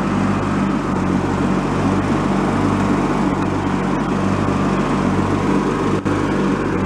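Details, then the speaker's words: Free, previously derelict Craftsman riding mower, function check after electrical and safety-switch repairs with spindles checked not bent: steady engine drone with the deck spinning, no bearing whine or grinding. Deck fairly quiet, bearings not noisy, runs normally. "everything seems to function okay mower decks actually fairly quiet the bearings aren't noisy that's a good sign"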